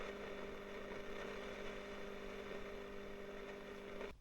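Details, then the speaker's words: Early-1960s Selmer Little Giant single-ended valve guitar amp, long stored, all original: steady hum with fine crackling, frying hiss until it cuts off; noisy plate resistors (270k) need replacing. "so it looks like it needs some plate resistors just as quiet that off get that quieten down a bit"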